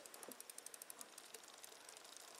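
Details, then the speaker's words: Shimano XT rear derailleur on a bicycle after adjustment, cranks turned by hand with no load, shifting down into gear seven: light, even freewheel ticking about seven clicks a second, no grinding or skipping; shifts cleanly. "now we'll go to gear seven smooth into gear seven gear"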